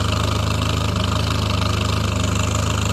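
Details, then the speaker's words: 1975 Triumph Spitfire after smog removal, valve adjustment, timing set by ear, air box off: warm idle thumping about four beats a second, not quite even, occasional slight miss; owner suspects carburetion, rebuild pending. Misfire at idle. "there you go turn like a little kitten just a little slight miss it might be carburation like I said I got to rebuild it"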